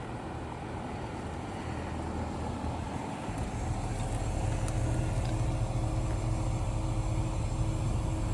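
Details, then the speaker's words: Newly installed ACiQ Extreme+ 3-ton 36,000 BTU communicating inverter heat pump outdoor unit drawing about 11.45 amps at 242 V: low steady fan and compressor hum with no knocks or rattles; normal running. "There she is, folks. That is a loud outdoor condensing unit."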